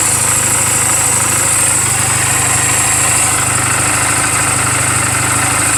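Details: 2007 Honda Rebel 250 single at 11,456 miles, idling in neutral just after a valve clearance adjustment: a quick, even putter at steady idle with no ticking or misses. A healthy engine.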